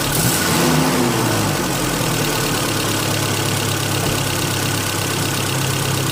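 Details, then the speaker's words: Car engine after throttle body cleaning following trouble from a MAF sensor clean: smooth, even revving then steady idle with no knocks or misses, a turbine-like air rush through intake and exhaust; runs well. "having done that work the engine does have sort of described as a turbine type of sound and that's the sound of the air coming in and the and throughout the engine and out the exhaust"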